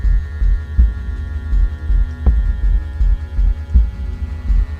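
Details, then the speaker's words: GWR freight model set tank engine hauling a wagon, crane carriage and brake van on a slow-speed test with a new controller with a high-low switch: a deep, unevenly throbbing drone, loud and rough as it crawls; the motor is very noisy at slow speed. "let's do this slow test well that's very noisy let's go forward Sam test slow test very noisy oh"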